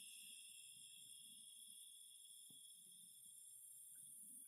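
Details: Phoenix Contact QUINT-PS/1AC/12DC/15 12 V 15 A switching power supply with a strong, constant high-pitched hiss and whine that persists with load connected; all four units show it, cause unknown.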